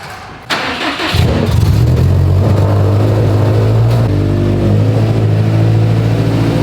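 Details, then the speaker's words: Subaru STi after an AVCS fix, when AVCS faults had caused a hanging idle and odd startups: morning start cranks and catches quickly, then settles straight into a steady, even idle without hunting or hanging revs, now normal. "getting a quick little rip to the shop this morning and gary so far it's perfect"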